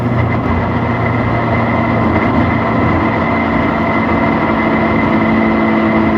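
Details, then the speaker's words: BMW 116i E87 N45 race car build, recorded while decelerating: steady low moan over road rumble with faint whine; diff whines slightly but main noise suspected from clutch or gearbox, possibly clutch assembly error, unconfirmed. "the diff does whine a bit but that's not where the majority of the noise is coming from it's coming from the either the clutch or the gearbox"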